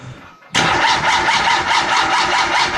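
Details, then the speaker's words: Turbo Mazda Miata with newly installed Megasquirt and base map: starter spins in an even rapid churn for about two seconds without firing. No spark before or after Megasquirt, despite a changed cam angle sensor, igniter and coils. "he's in the process of I don't know finishing his dribble like setup but the only problem he has it's not getting any spark and he wasn't gettin spark'd before we threw the mega squirt"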